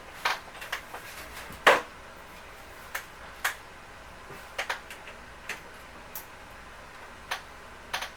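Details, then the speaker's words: Sharp Aquos LC-52D64U TV, dead, power supply board after cleaning out heavy dust with compressed air: sharp irregular ticks about one or two per second in a quiet room; large capacitors look fine, internal windings suspected faulty, board to be replaced. "C'est le bloc d'alimentation qui fait ça. Bon, j'ai regardé sur Internet. On dirait que c'est les enroulements à l'interne ici qui font défaut."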